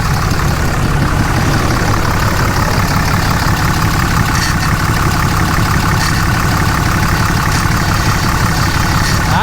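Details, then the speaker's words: Dodge diesel truck bought cheaply, out of coolant, possible head gasket concern: steady even low rumble at idle with no knocks or misses; sounds pretty good. Normal idle. "see now that sounds pretty good though not bad from surprise"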